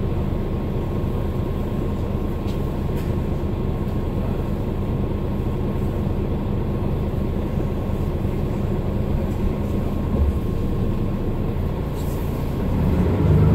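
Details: Mercedes-Benz Citaro O530 LE bus (OM457hLA 12 L 299 hp Euro 5, ZF Ecolife 6AP1700B with overdrive, 12,450 kg) while driving: a steady thin whine holding its pitch over a low even drone. This is the only Citaro in the fleet with a noisy Ecolife automatic gearbox.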